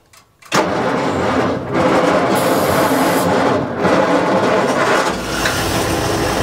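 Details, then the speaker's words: 1940s Bay City Model 30 crane/dragline engine, idle over a decade, started with starting fluid: catches and settles into steady rumbling run with a few speed surges as throttle is opened; later shows 40 psi oil pressure. "Yeah, that's accelerated big time."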